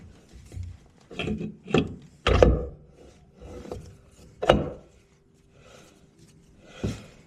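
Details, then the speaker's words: Jake's 258mm torque converter going onto a 1000hp TH400 for a 5th gen Camaro: three sharp clicks a second or two apart as it is turned and pushed onto the pump (splines, then pump seal), then quiet; seating to be confirmed by measuring. "So we'll see if we can't get it filmed, putting the converter in. You'll hear those clicks."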